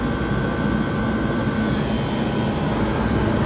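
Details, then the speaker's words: 1978 Comfort-Aire Quietmaster 29,000 BTU air conditioner running on high on a humid day, not yet fully cleaned; steady, even whoosh of the condenser fan with no rattle or scrape; the fan runs smooth and healthy. "The condenser fan is running nice and smooth."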